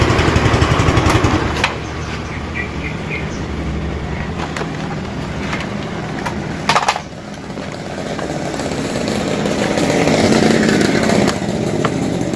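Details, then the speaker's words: Motorcycle with weak wet battery after recharging to about 13.4–13.5 V, charging 14 V when revved; engine switched off and restarted on electric starter, turns briskly, catches immediately, settles to even idle; normal start. "Kita matikan, lalu kita hidupkan lagi. Kita coba starter."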